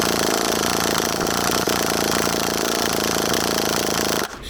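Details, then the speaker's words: HPI Savage 21 nitro RC truck, primed and cranked on a cold day: a steady buzzing crank with a few faint pops that never catch. Owner suspects a blockage, unconfirmed. "is it it is trying it's just not quite getting there you can hear it popping a little bit maybe we've got a little bit of a blockage"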